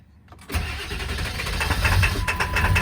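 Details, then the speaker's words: 1999 Ford F250 7.3L Powerstroke diesel, presumed out of fuel earlier, after extended cranking. The starter spins briefly, then it catches and climbs into a steady, rough-edged diesel idle: normal start. "Yeah! She's freaking running! Oh! Oh man, I'm happy."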